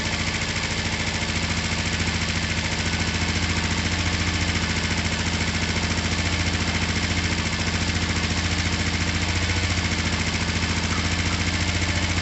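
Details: Finished, repaired twin motorcycle, oil just topped up, down pipes wiped so slightly smoky, started from the button: steady, even idle with regular low pulse, no misses, knocks or rattles; running cleanly.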